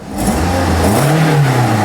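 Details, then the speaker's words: Toyota Corolla with check engine light on, codes P0420 (catalyst efficiency below threshold) and P1604, engine running and revved: raspy, hissy edge over the deep drone, an exhaust leak. "So as you can hear, the engine is running. Actually, this thing has an exhaust leak."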